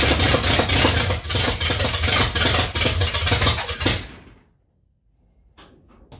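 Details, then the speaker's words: Old supercharged truck after carburetor cleaning and modification, primed with fuel: the starter cranks evenly for about four seconds but it never fires; fuel was then found leaking from the carburetor, float adjustment suspected. "Let me give it just a wee bit of timing. Well, it acts like it didn't get no far at all."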